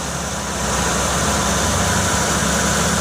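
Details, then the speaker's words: 2007 Chevy Uplander Braun wheelchair van, 3.9 V6, well maintained: steady, even idle with a smooth low rumble and no knocks, ticks or misses; healthy at rest. "Got the 3.9 V6, which everything I've read, they've been real good to us, and I've heard they're good engines."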